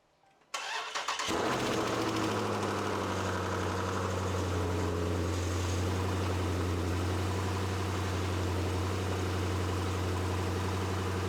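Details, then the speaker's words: 2017 Dodge Challenger Scat Pack, likely modified exhaust: starts right up, catches instantly and settles into a loud, deep, steady idle burble with no misses or knocks; runs and idles fine. "Starts right up. It's really loud, obviously because of the exhaust. I'm pretty sure it's a modified exhaust that's on it, but it runs perfectly fine and idles completely fine."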